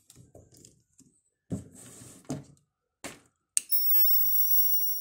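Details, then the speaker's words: Repaired voltage inverter (Knup-548, burnt output) powering a strong lamp from a weak battery: after handling thumps and a switch click, a steady high-pitched whine under load from low current; it needs about 100 A supply to stop. "já tá funcionando pessoal por que que ele tá fazendo se ruído porque a bateria muito fraca essa inversor precisa de poder 100 amperes para mais parar de fazer ruído"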